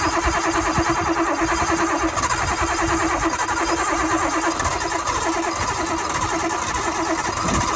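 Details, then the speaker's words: Nissan Cefiro RB25DET with a long-running mysterious miss, tested after new spark plugs: lumpy, uneven idle with a stumbling beat like one cylinder dropping out; the plugs did not fix it, and an open ignition coil feed wire was later identified as the likely cause. "here we go time to see if this thing has no longer a miss"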